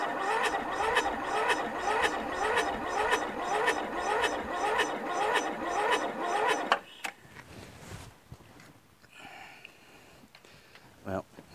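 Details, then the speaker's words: Toro Wheel Horse lawn tractor with Briggs 1238XL flathead engine, mouse nest in the engine, new battery, before the magneto and carburetor work: a heavy, dragging crank at about two compressions a second, cranking far too slowly to fire. "know I it seems like it it's really slow you know what I mean the cranking is slow"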